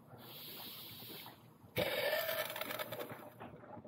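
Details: Jeep Grand Cherokee WJ after radiator replacement and timing cover reseal, bleeding the drained power steering hydraulic fan system: irregular wet gurgling and sucking bubbles in quick bursts as trapped air works out of the fluid.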